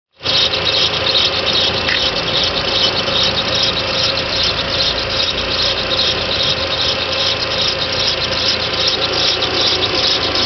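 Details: 1.8T right after a timing belt, tensioner, water pump and aux belt change, cold start after sitting 6+ hours: steady high squeal for 3–5 minutes from a seized small timing belt tensioner idler bearing, first mistaken for the cam sprocket bearing.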